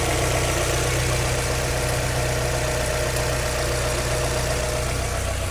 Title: Weird Engine noise MX-5 nbfl 1.9vvt what is the Problem?